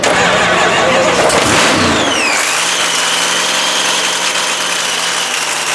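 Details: Cadotto Racing 3,500 HP blown Hemi Ram race truck restarted after all-night rebuild following a 3-second pass, battery possibly low: starter whirs, engine catches with a bark into a steady, even, lopey idle; healthy.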